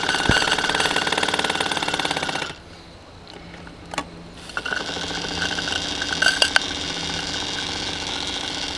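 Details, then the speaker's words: 1950s toy steam crane (Curly Lawrence design, Model Engineer October 1953) winching an Austin 7 brake drum: quick steady chuffing easing into softer winch noise, no strain; normal running under load. "And here we have an Austin 7 brake drum. So, let's see if we can uh winch this one up. And again, absolutely no problem at all."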